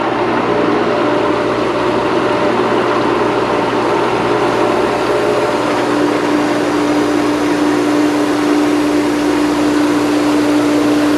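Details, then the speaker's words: Pool pump restarted after cleaning the filter, bleed valve open; steady pump drone under rushing hiss of air purging from the filter, then clear tone as water flows back to the skimmer; normal priming. "You can hear the air coming out of the filter, purging the air. Water starting to flow back into the skimmer there."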